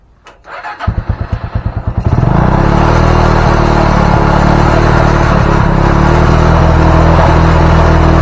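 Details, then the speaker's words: Honda Mega Pro (KEH) single-cylinder with charging fault, full-wave stator, engine still cold: catches after a few cranking pulses, then settles to a steady even beat and is revved, no misfire; healthy cold start. "Langsung aja kita gas. Aduh, masih dingin ya mesinnya."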